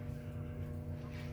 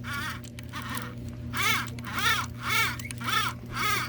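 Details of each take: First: Lionel 226E prewar O gauge steam engine pancake motor, fully rebuilt with new brushes, running after oiling the phenolic armature bushing: steady smooth low hum with no buzz. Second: Lionel 226E prewar O gauge steam engine with pancake motor: steady motor hum with a rhythmic squeaky chirp about twice a second from a dry phenolic-plate armature bushing, needing oil.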